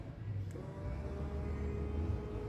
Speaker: e vocês deu para ouvir na hora que o aperto de pressuriza o reservatório